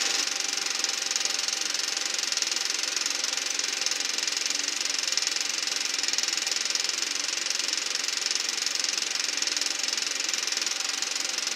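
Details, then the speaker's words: Eberspacher B1 gasoline heater for a VW Beetle, bench test without battery charger, voltage dropping from 14 V to about 10 V: quick ticking of the fuel pump with no burner roar; pump runs but no ignition. "Well, so far I don't hear any ignition. That's the fuel pump that's making that puttering noise. Nothing."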